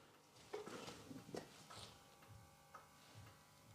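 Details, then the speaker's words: Rolls-Royce Silver Spirit III alarm, panic button pressed: soft, scattered relay clicks in a quiet car with no siren and no flashing lights. It is unclear whether this is a fault or the function has been disabled. "So yeah, I'm not sure whether there's a problem with mine where or whether it's been disabled for whatever reason, but the top button, it's kind of doing something cuz I can hear the relay clickin"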